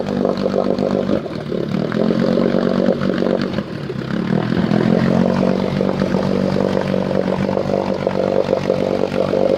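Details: Engine with choke turned off and idle brought down: uneven, stumbling note with irregular missed beats and sputters as idle drops; rough low idle with misfire, cause unclear.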